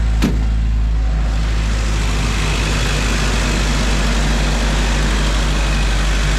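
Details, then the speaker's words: 1995 Jeep Wrangler YJ four-cylinder after 4-hole Ford 19lb injector upgrade, started for a heat cycle while checking fuel leaks: low, even idle, steady beat, no misses or stumbles; owner thinks it idles smoother than ever. "And maybe it's just snake oil, or I don't know, but I think it's idling smoother than it ever has, which tells me that this might have been a spot-on adjustment."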